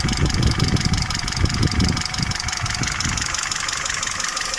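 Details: Peugeot 307 2.0 EW10J4 engine at idle with a knocking tick at cam speed, loudest early in the clip; camshaft knock from worn camshaft bearing seats and journals.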